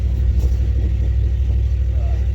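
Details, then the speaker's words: 1987 Chevy 1500 with DIY junkyard-rebuilt replacement engine, first start after sitting almost 2 years, cold, oil pressure about 40: deep, steady rumble without misses, knocks or hunting; idling smoothly. "right on. Well, nice to hear this thing run."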